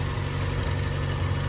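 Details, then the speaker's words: Mazda Miata that had been running on three cylinders from a bad injector: after repair it idles steadily and evenly with no misfire, the best it has run in a while, though a slight valve tick is noted. "that's the best I've heard it running in a while."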